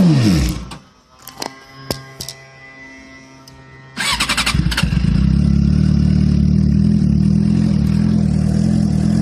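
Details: 2007 Suzuki GSX-R (K6) motorcycle started cold after sitting; clicks and cranking, then it catches into a low, slightly lumpy idle that won't rise to normal; exhaust smells very rich, a shop found no fault; unstable cold idle.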